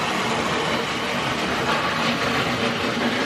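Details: Vintage Hornby Tri-ang train set loco running at full speed after a restart: constant buzzing whir with rattly clatter, rough and noisy as it starts to run better.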